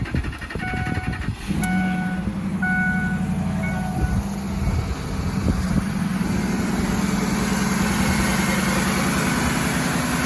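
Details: 2006 Ford F-150 engine idling smoothly with an even low hum, no grinding or whine, after replacing a dry idler pulley bearing hidden under the air intake with a greased junkyard pulley.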